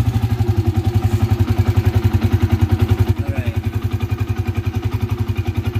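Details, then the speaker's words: Yamaha FZ motorcycle at idle after starting: deep steady drone from the engine under an even putter of about three and a half beats a second, sounding like a bearing problem; owner says it is a common small issue, cause not confirmed. "dia punya kan macam bunyi berdengung dekat enjin kan"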